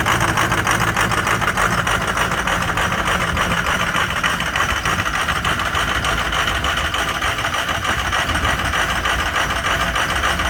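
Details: Ford 6.0 Powerstroke diesel, cold start, with bad injectors: uneven, lumpy idle with a fast clatter over it, a rough misfiring pattern.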